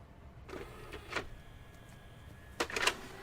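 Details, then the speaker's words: Pioneer CLD-A100 LaserActive with a laserdisc loaded (CDs play fine, laserdiscs eject after seconds); short motor whirs, clicks and clattering as the spindle strains but cannot spin the disc up. "It's trying really hard to get it to spin, and it just can't."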